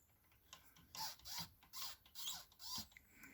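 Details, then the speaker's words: 1958 Philips B6IF73A tube radio, chassis out of cabinet: shrill squeaks in uneven bursts as tuning knob turns on FM; dial drive rubber pinch rollers slipping, AM needle also sticking. "and when you select fm the lower needle should move and it does to a certain extent but then if you can hear this kind of a squeaking noise"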